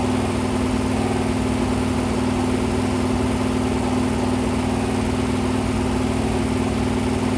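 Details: Freshly rebuilt 426 Hemi crate V8 (new heads, intake, pistons) on a run stand during flat-tappet cam break-in at 2400–2500 rpm, 32 degrees timing, 150°: steady fast-idle drone with even revs, no knocks or clatter; cam breaking in cleanly.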